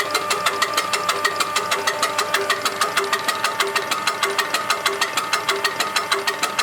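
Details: УТН-4 injection pump on a tractor diesel, checked after repair and adjustment: crisp, even diesel clatter at about ninety-five beats a minute, steady and regular with no misses, running cleanly.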